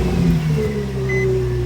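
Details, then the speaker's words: Nissan 350Z engine start after re-tensioning the worn, stretched accessory belt and tightening the 14 mm pulley bolt: catches and settles into an even low idle with no belt squeal. "No squeal like that. No squeal at all. I like that."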